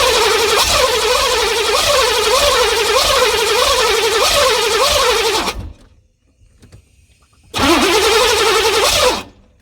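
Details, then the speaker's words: 1986 Chevy C4 Corvette TPI 350 cranking with fuel pump wired direct after suspected failed relay and no fuel pressure; starter churns about two turns a second without firing; crank no start, rust later found in injectors and fuel rails. "So, I got it hooked up direct now. It's trying to start. It's like you can hear it trying to. It just won't do"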